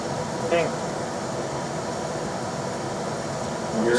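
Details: Rheem RBH residential air handler after its squeaking, non-serviceable blower motor was replaced with a 1030 rpm motor (old one 825 rpm): on high, drawing about 2.7 A, there is a steady rush of air with a constant hum and no rubbing, squeal or wobble. Normal operation.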